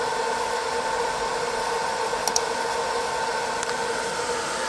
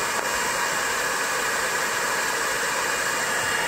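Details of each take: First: 20 W diode laser engraver module, top-mounted fan running continuously, phone a pencil distance away, after fitting three 3mm laser-cut spacer sections. Smooth, steady airy whir, harsh high-pitched whine gone: normal fan noise, quieter with better cooling. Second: 20 W diode laser engraver module, stock top-mounted fan running continuously, phone at measured distance, before modification. Harsh, steady rushing hiss with piercing high whistle: loud fan noise.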